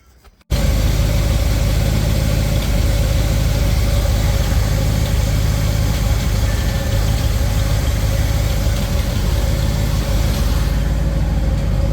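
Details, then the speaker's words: Small-block Chevy V8 with newly installed 1.6 ratio roller rockers on a fairly stock car, first run after install with oil dropped on the rockers: steady, even idle with a smooth low burble and no valvetrain ticking; normal idle. "it's not noisy Everything feels okay thing looks pretty good"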